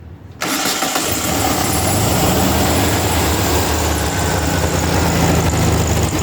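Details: Air-cooled Volkswagen engine on a test stand with a newly wired and programmed FiTech fuel injection kit, fuel pump on: catches almost at once from silence and settles into a steady, even idle with no misses or knocks; healthy start.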